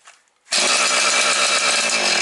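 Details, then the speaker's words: Husqvarna 445 chainsaw, long unused, idle set low: silence then it catches at once and holds a high, steady, even buzz with no misses or surging; runs well. "Ну нічого вони смертельні заводимо але гарно працює"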